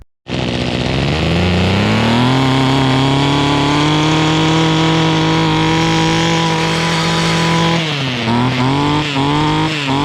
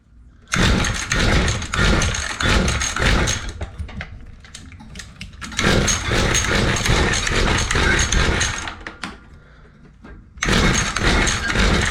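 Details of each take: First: Mantis two-stroke rototiller after cleaning the carb needles and setting low just under one turn out and high about 1.5 turns out: catches at once, holds a steady high buzz, brief dip then recovers; running normally. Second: Mantis two-stroke rototiller, weed-eater-sized engine, after carb cleaning, not choked: catches and buzzes after each pull, then sputters and dies; spark plug very wet, flooded with fuel, owner suspects weak spark.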